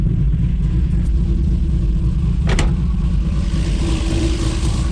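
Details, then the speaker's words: Built 2JZ-GTE in a 1995 Supra on Pro EFI, revved: rough uneven rumble that stumbles and won't pull cleanly; dead cylinder. "but you know, we got this lead here to plug in, and I don't know. Still got some hesitation going on."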